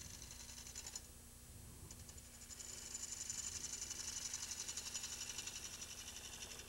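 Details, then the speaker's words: Green wood bowl turning on lathe: light even tick about four per second during cut; gouge bevel rubbing too hard, back off pressure to remove it and save sanding. "kind of hear that little tick tick tick tick tick tick generally that means you're rubbing the bevel a little bit hard so if you back off on it and not rub the bevel so hard then you'll get rid of that"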